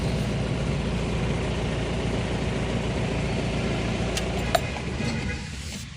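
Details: Mahindra Jeeto mini diesel with a starting problem, running after its temperature sensor was cleaned and the check-engine lamp came back: a steady, even diesel rumble with no knocks or misses, settling smoothly before shutoff; the engine sounds healthy.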